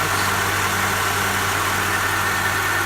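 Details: Honda (DC2R) with new battery and immobiliser disabled via ECU, first day running, took a little to start: steady even idle, low smooth hum, no misses, knocks or hunting; normal idle.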